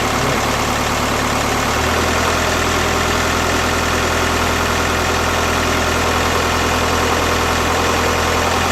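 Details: BKD diesel idling cold with an uneven, lumpy beat of three or four pulses a second and a shaky low drone; rough cold idle, cause not confirmed.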